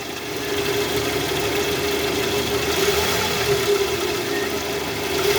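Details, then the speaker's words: Toyota Vellfire 2AZ-FE, 141,000 km, in R or D with oil light on and flickering when revved: rough, gritty churning with faint rattle from the oil pan area; balancer shaft found destroyed, debris clogging the oil strainer. "Nah jadi setelah tadi kita bisa menggunakan sound scop nih bunyinya jelas di area panci oli sini ada bunyi kasar guys"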